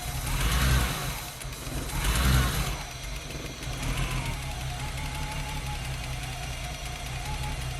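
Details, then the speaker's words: BMW E30 323i Baur six, after 10 years sitting, running on starting fluid sprayed into the throttle body with a blocked fuel system: a couple of throttle surges, then a soft, even purr with no knocks or ticks; motor sounds healthy. "Actually sounds pretty quiet. Purring like a kitten."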